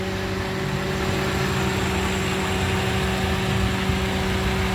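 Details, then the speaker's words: 2014 Toyota Avanza G 1.3 petrol with manual gearbox, 146,040 km over nine years: smooth, even idle with a steady low hum and faint belt whine, no misses or tapping, described as quiet like a fan; normal idle. "Untuk mesinnya masih sangat anteng. Ini mesinnya nyala ya, dan suaranya itu kayak suara kipas angin, gitu aja, masih enak."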